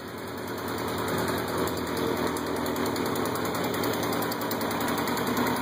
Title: kawasaki kz 750 ltd stock with saddle bags exhaust leak from headders